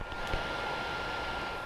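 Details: A secondhand PS4 with its mic placed by the fans, after loading a game: a loud, steady rushing whoosh with a thin high whine as the fan runs flat out from overheating. Dust is inside; the planned fix is cleaning and fresh MX4 thermal paste.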